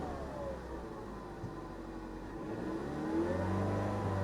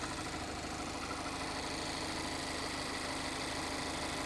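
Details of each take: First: 2015 Ford Mustang EcoBoost turbo four, 310 hp, with 88,000 miles, push-started at auction. The engine climbs smoothly and steadily in pitch as it revs, with no knocks or rattles: a healthy EcoBoost. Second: 2021 Mazda MX-5 track car at idle: a busy, rattly clatter at about three beats a second riding on top, noisier than this engine should be; the cam is suspected but the cause is unknown.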